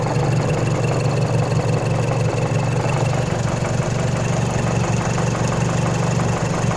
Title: Timing Chain Noise on Mazdaspeed 3